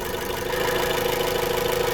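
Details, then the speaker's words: 2015 Chrysler 200 with intermittent no-start, misfire codes on cylinders 1 and 3, chewed intake air sensor wire: steady petrol idle with fast even pulse turns rougher when one ignition coil is unplugged, showing that coil fires fine. "So that's telling me that one's working fine."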